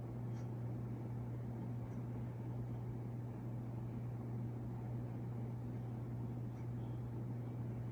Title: CEC Casablanca Mercury Copy Ceiling Fan | Bad Bearings And Reverse Switch